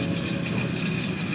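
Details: BMW started at idle: loose, buzzy metallic chatter over the exhaust note, not heard from inside the car; exhaust flap rattling on a broken fixing bow, fixed by replacing the fixing bow part.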